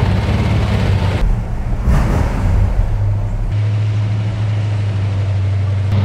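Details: Fully restored 1970 Dodge Challenger R/T V8 idling during warm-up before a drive: deep, even burble with one brief throttle blip, then settling to a steady, smooth, healthy idle.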